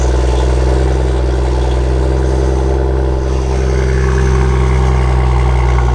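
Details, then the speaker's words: BMW M2 exhaust on a cold start: loud run with a sharp, raspy edge coming from the rear; a fracture and a hole in the rear muffler cause an exhaust leak and rattle, to be replaced under warranty. "underneath that too they discovered that there was a hole in the exhaust muffler itself so that's basically what was causing the exhaust rattle"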